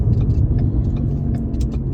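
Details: 2013 Ford Taurus on a lift, wheel spun off the ground, low steady buzzing rumble; front howl remained partly after left front hub replacement, howl then traced to the rear: worn wheel hub bearing buzz.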